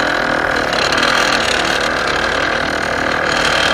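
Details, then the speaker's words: Lexus LS400 air suspension compressor cutting in and out with a loud, steady buzzing rattle and fast chatter around four per second; the relay is mounted too close to the tank and vibrates against it, so it will be pulled. "okay I know 100% what the problem is it is the relay it's too close to the tank so unfortunately we're gonna have to pull it"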